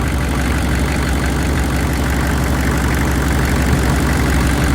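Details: Chevy 6.5L V8 turbo diesel, running after sitting 5 years, no-start traced to unpowered fuel pump, now on makeshift pump wiring: deep, steady diesel clatter at even idle about three beats a second, no misses or hunting; healthy.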